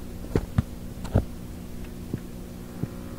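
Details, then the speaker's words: 1960s Symphonic Model 962 tube-amp record player, powered up on a current limiter: steady low hum with light clicks that does not change with volume, pointing to the power supply filter capacitors. "Not volume sensitive. So we know just what that is, don't we? It's gonna be the power supply."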